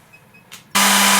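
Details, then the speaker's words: Cooling fan on a diode laser remounted on rubber pieces with loosely tightened screws to reduce vibration noise: steady low hum with even airy rush, no rattle or buzzing; noise reduced, fan running smoothly. "Can you hear we've reduced all the noise?"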